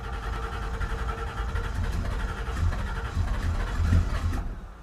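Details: Carbureted Ford Ranchero V8 at about 20° cold morning, choke being adjusted: low, uneven rumble that stumbles and fades without settling into a steady idle; hard starting when cold.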